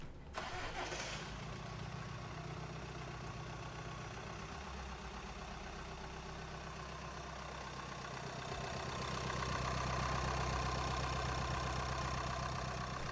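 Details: 2012 Audi A6 2.0 TDI after the timing belt and water pump job was redone: cranks and catches quickly, settles to a smooth, even idle. Normal healthy diesel start.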